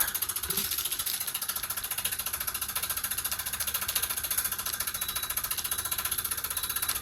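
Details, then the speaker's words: Sunville 9000 BTU air conditioner indoor unit dropped from a minivan: a light metallic clink three to four times a second over quiet running, absent at first and worsening; drop damage suspected. "BTU, we have a problem where it's making a clink, clink, clink noise."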